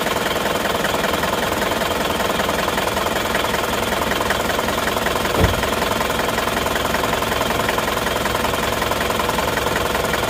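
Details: Isuzu Panther diesel at idle, nozzles already verified good: uneven, limping beat of two or three pulses a second with severe shaking; dead cylinder suspected, to be checked by loosening injector lines one by one, then compression and valve clearance.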